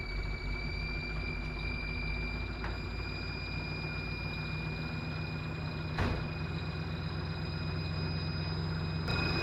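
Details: 1955 Willys wagon idling with a Holley carburetor fitted: a steady high whistle over an even rumble with no knocks. Owner suspects a leak around the carburetor base, unconfirmed.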